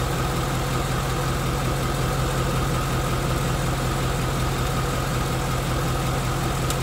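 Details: 2016 Mustang GT second-gen Coyote V8, 20,335 miles, 2 miles after 4th oil change, A/C compressor cycling: light, fast typewriter ticking under the car over steady idle; owner suspects fresh oil, hopes it fades, valvetrain unconfirmed.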